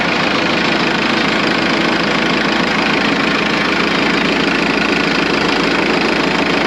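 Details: Morbark 2400XL track chipper's 4BT diesel idling, with the hydraulics not yet working: a loud, steady, even clatter at constant idle with no misses or surging; it idles cleanly.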